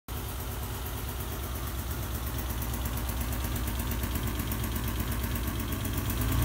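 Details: Alfa Romeo GTV6 at idle: uneven, lumpy running with a loose pulse near three per second that grows slightly louder; the engine is shaking.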